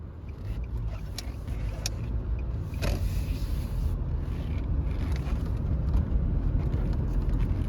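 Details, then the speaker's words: 2014 Nissan Sentra, 109k mostly highway miles, on a test drive: steady low road rumble with no speed-related growl and no clunks from the lower control arms; wheel bearings and front suspension in good condition. "Yeah, the wheel bearings are in really good condition, and the front end's in pretty good condition. Yeah, I don't hear any clunks coming from the lower control arms or any of the arms like that."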